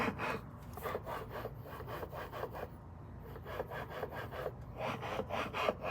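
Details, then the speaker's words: First-gen Toyota Tacoma TRD 3.4 V6 with supercharger: dry rasping, scraping pulses about four a second at idle, not heard when driving or revving; owner suspects a worn coupler or the main supercharger body; not confirmed. "noticing some noise at an idle in the supercharger but when I get on it or I drive it I don't really hear it"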